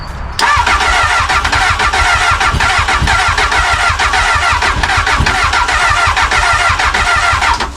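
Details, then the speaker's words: Crashed Honda Hornet motorcycle, after reconnecting a missing wire: steady starter cranking for about seven seconds with even compression pulses but no firing; cranks but won't start. "oh this sounds like just going to fire let's get some spark into that"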